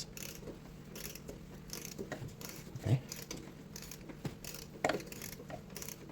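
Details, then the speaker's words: Ford EcoBoost with a replacement cylinder head, timing set without timing tools, head bolts torqued: the crank is turned by hand for a few revolutions with slow ratchet clicks and no metal-on-metal tap. TDC, belt and timing check fine, so there is no valve-to-piston contact. "Uh we're going to spin that engine and we're going to check the TDC again. And you want to be quiet and you want to hear the engine spinning. So you will hear if any contact happens."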